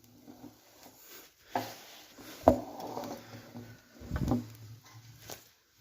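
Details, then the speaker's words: Chrysler 318 V8 from a 1964 Dodge A100 van, sludged and abused, hand-cranked on the stand before teardown: heavy irregular clunks as pistons come off compression, cylinders one and two loudest; loose, wiped connecting rod bearings, oil pump missing. "so just rolling it over it does not sound good you can especially hear what sounds like cylinders number one and two flopping real hard"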